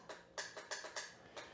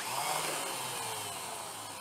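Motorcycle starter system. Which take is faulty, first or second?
first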